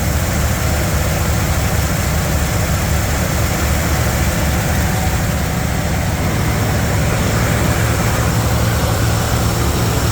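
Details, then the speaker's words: Classic truck V8 idling after a fix that seems to have cured the smoke, though the gas may be toast. It holds a smooth, even low rumble with no ticks, knocks or misfires, running like a sewing machine. "uh yeah this thing's running like a sewing machine"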